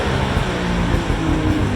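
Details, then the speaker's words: Polaris Ultra 680 triple two-stroke, break-in heat run on stock exhaust: smooth, even drone with a steady low rumble, no knocks or misses; nice and quiet, running well. "It does run it really sounds good. Nice and quiet. Really a good sounding engine."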